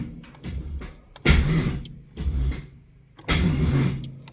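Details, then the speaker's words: Austin's turbo car after fuel table tuning with wideband, starter known to drag before: slow uneven labouring cranking pulses about every two seconds before it catches and starts; dragging starter. "The starter is dragging. This starter drug before, but see if we can get it to start."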